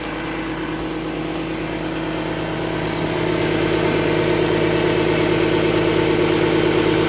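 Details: 2010 Audi Q7 TDI diesel idling with check engine light on: rapid regular puffing tick over the clatter; exhaust leak, later resolved by Audi.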